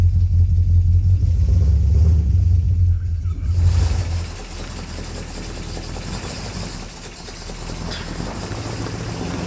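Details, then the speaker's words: 1958 Plymouth barn find V8, first drive under own power in 30 years, pulling away in first gear: deep even burble fading as it drives off; exhaust healthy, no knocks or misses, though clutch may not fully disengage. "wow wow listen to that exhaust man she's running good"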